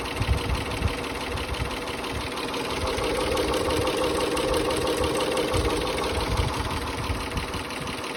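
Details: 2004 Mitsubishi Galant 3.8L V6 (6G75 non-MIVEC) after water pump and timing belt replacement: the engine idles steadily with an even, unhurried beat and no knocks or squeals, a healthy idle.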